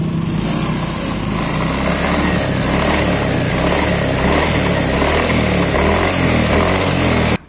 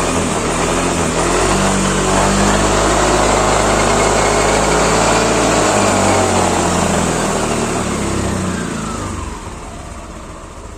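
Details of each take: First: 2016 Yamaha NMAX running with a loose, uneven clattering knock from the rear CVT; it returned a week after only greasing, and the owner suspects the rear pulley bearing or the gearbox bearing. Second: 2016 Yamaha NMAX after rear CVT repair and reassembly, engine started: revs smoothly and settles with no knocking or clunking; the clunk had been felt below 20 km/h and traced to the rear pulley.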